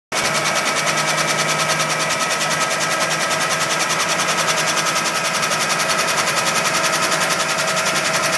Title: 91 Pontiac Firebird Engine Knocking Sound.mov